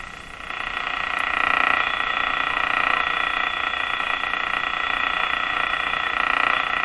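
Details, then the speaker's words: Moffat Crosley G2465 five-tube radio, still warming up on about 100 V through a dim-bulb tester, before IF alignment. A steady buzzing hiss with a fast regular pulse grows louder as voltage rises; interference noise of unknown cause. "okay let's check it out what do we got lots of interfering noise"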